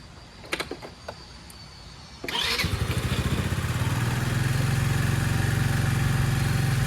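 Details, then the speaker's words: Craftsman LT1000 hydrostatic lawn tractor after carburetor removed, cleaned and refitted: after a few clicks it catches abruptly and settles into a steady even putter without misses, running normally. "well I've been running this for a while I finally got it running uh I took the carburetor off cleaned it again"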